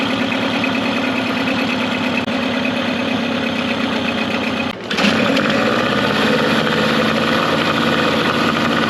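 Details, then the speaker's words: Mercury 9.9 hp two-stroke outboard, short shaft, believed early 90s, after years of sitting; carb and plugs upgraded. After general maintenance, it idles in gear in a test tank with an even burble, about four beats a second, slightly quick, no misses; normal idle. "just gonna let it idle here for a little bit in gear it doesn't sound too bad where it's at right now and it's coming pretty perfect"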